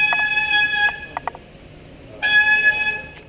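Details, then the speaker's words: Bicycle front disc brake with contaminated pads and a new rotor fitted; loud, steady high-pitched squeal in bursts as the wheel turns persists; new pads on the old rotor later stopped it, so the contaminated pads are the cause. "So now we still have some squeal."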